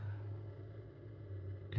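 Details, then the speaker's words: Samsung NE63B8211SS induction range, internal cooling fan running because a burner is hot; low, steady hum with no surging, normal cooling fan. Owner also notes a slight chirping, possibly from the fan motor. "I'm gonna throw some water on here just so you can hear the noise loudly and you can the fan is actually running on this thing right now because the burger is a little bit hot"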